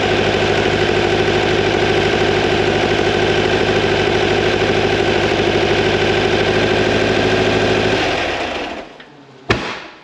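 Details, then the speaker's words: 2180cc VW Beetle engine for a 1968 single cab, first start and break-in with main jets upsized to 145s, warming up: a steady, even air-cooled idle with a fast regular pulse, then shutdown; still running slightly rich. "still a little bit on the rich side but rich is better than lean"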